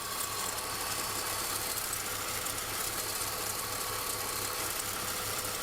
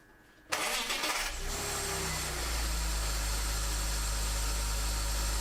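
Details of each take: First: BMW E46 petrol engine idling with a steady high squeal from under the hood; the owner suspects the alternator bearing, on an alternator installed in 2015. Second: BMW E46 after replacing the alternator bearings to cure an under-hood squeal: brief crank, clean catch and steady even idle with no belt squeal or chirp; charging reads 14.7 then 14.2 V; normal start and idle.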